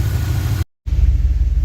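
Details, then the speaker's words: 1989 Chevy Silverado after replacing coolant temperature sensor that caused no-start, over 15 minutes running with coolant gauge at normal: low, even warm idle rumble at a settled pace, no stumbles or hunting. "still running still idling it's idled down uh once it warmed up a little bit which is normal I tentatively think that that fixed it"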